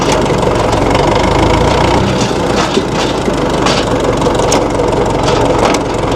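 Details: 1960 Massey Ferguson FE35 tractor, 4-cylinder diesel, after sitting unused in a paddock for a long time: low, steady clatter at an even idle with no misses or surging; running normally again.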